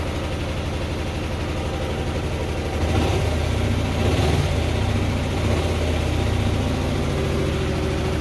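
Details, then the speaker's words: 2004 Hyosung GT250 Comet after carb cleaning, new fuel filter and battery: idles low, rises after about three seconds to a slightly raised idle held evenly while warming on choke, choke nearly off. Healthy cold warm-up. "okay so I don't know if you can hear me or not but we're gonna let it warm up a little bit I've almost got the choke all the way off and it's idling about where it should be"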